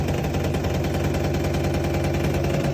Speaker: The wheel was grinding against the lemon seed. It kept making this grinding noise.